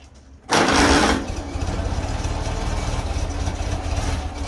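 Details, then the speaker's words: Farmall Cub antique gas tractor, fuel system work: engine catches with a loud burst then runs rough with irregular sputters from water in the fuel; running it should clear most of the moisture in about 5–10 minutes. "A little spluttering. There you go. Yeah, got that water in it. Just got to run the moisture out."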